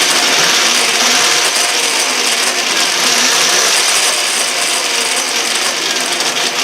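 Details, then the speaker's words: Yamaha WR250E electric conversion, EBMX X-9000 V2 controller replacing a choppy Fardriver controller, running in reverse; even high electric whine with light mechanical chatter, no stutter or surging: motor runs smoothly. "Okay, but it's smooth as butter."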